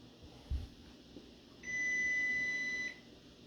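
One steady, high-pitched beep of just over a second in a quiet room; the oven is signalling, but its meaning isn't clear.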